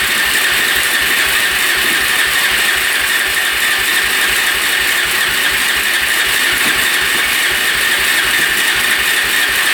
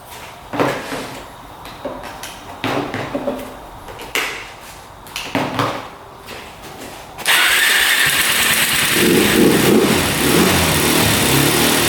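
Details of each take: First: 2004 Suzuki LTZ400 quad that sat for 10 years, choke off, fuel on reserve. Fast, steady crank with a thin whine and no firing; it spins but won't start, and the owner suspects low compression. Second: 2004 Suzuki LTZ400 single that sat 10 years and kept flooding, tried with the plug out and oil added to the cylinder: several separate pull-start bursts, then it fires and settles into a steady, even run. Normal running.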